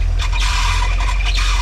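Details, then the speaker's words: 1975 Dodge Holiday Rambler motorhome, sat about 20 years, first running at about 180–190 degrees with 30 psi oil pressure at hot idle: shrill chirping squeal in short surges over a steady idle rumble, a slipping power steering belt. "I mean wow we got a we got a power steering belt acting silly"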